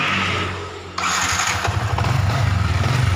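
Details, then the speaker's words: Yamaha Vixion New, piston recently replaced with boring, at idle: loose regular glek-glek clunking that persists with clutch pulled in and worsens when released, so not piston or rod; primary and balancer gear knock. "Ini ketika kopling ditarik. Oke, ketika kopling ditarik suaranya glek-gleknya itu masih ada ya."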